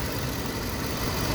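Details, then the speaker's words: 2001 Toyota Sequoia with the 4.7 V8 at idle after replacing a bad ignition coil with a good one: an even, steady rumble with no misses or stumbles. All cylinders are firing and it is back in business. "See if what this does now. Here, clicking. Yep. So we are back in business."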